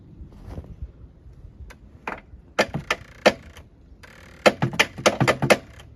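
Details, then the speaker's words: Yamaha Phazer snowmobile at about minus 15, first start of the season after sitting since last season: sharp, irregular starter clicks in short bursts with no cranking; owner suspects a bad starter solenoid. "Starter's unhappy. Starter is a pain to get to on these phases. Way up under That sounds like it's clicking at the solenoid. Maybe I got the bad solenoid."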